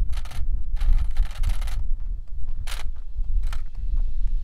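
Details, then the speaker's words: Traxxas Slash 4x4 on Mod 1 gears with GPS, top speed test: short bursts of motor whine stop and restart with cogging under throttle over wind. ESC cuts power, probably before half throttle; only 58 mph reached. Owner plans a 30-tooth swap. "I think it cut. Yep, it cut and it turned off."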